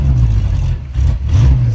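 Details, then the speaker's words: 1964 Chevy Nova small-block V8, running rich with wasted fouled spark plugs: lumpy uneven low rumble that sags and surges like an air-cooled VW, two cylinders dead and little power; misfire from fouled plugs. "Oh, it sounds like a Volkswagen. I was going to say the same thing. We got a Beetle."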